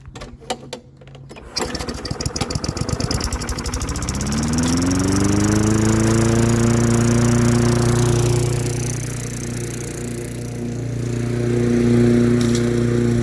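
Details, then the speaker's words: Old Lawn-Boy mower, Tecumseh 4.5 hp four-stroke, sat 20+ years: a few pulls, catches, revs up within a couple of seconds and settles into a steady, even idle; idle pretty good, running well. "idle's pretty good wow nice"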